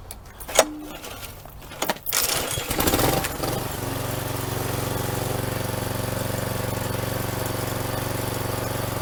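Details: Troy-Bilt two-stroke string trimmer after carburetor/fuel system repair, new air filters and new spark plug, started without priming: a couple of cord pulls, it catches within seconds and settles into a steady, even idle with no stumbling; normal running.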